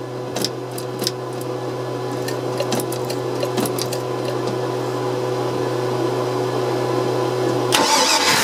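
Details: OMC 5.0L boat engine, fuel inlet hose in a jar of gas so no tank restriction: holds a steady low drone for several seconds then cuts out abruptly; stalls right after starting, cause still undiagnosed.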